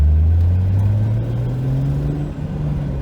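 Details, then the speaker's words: 2JZ-swapped 300ZX with CD009 transmission and Grannas Racing Tilton ST246 twin-disc clutch, about 600 lb-ft, 2,500 miles: full throttle from lowest revs in second gear, a low rumble climbing steadily with no chatter; clean clutch engagement. "No noise in second. Third, as low as we can go. Very, very little in third."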